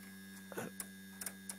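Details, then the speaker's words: Restored original 1950s Mallory car valve-radio vibrator, shunt coil driven, converting 12V DC to about 200V pulsed AC through a transformer in a test setup: steady low buzz with light clicks, no dropouts; contacts switching cleanly, normal vibrator buzz. "I can actually use the original vibrator because you can hear it's working now I don't know how well it's working but it seems to be okay"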